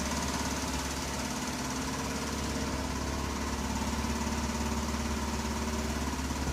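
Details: 1983 Buick Park Avenue: steady idle with quick even tick about three per second; owner suspects leaky exhaust crossover pipe, probably a donut gasket somewhere.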